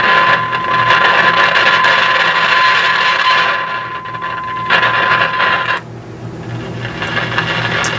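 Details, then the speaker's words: Philco 50-920 tube radio, signal generator at 455 kHz through IF stage: steady test tone under crackling, sizzling frying noise; moving tubes doesn't change it, so bad capacitors inside IF cans suspected, not confirmed. "tells me that there's bad capacitors inside the iaf cans because that's usually the only thing that causes this kind of frying"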